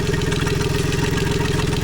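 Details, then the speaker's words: Tohatsu MFS 40A jet outboard running, fuel pressure about 45 PSI, fuel screen half full, hot day about 30 degrees: fast steady pulse with a harsh buzzy edge from the recently replaced low-pressure lift pump; pump noise abnormal, possibly starving fuel. "That is the low pressure pump right there, and it's making a noise that I don't like."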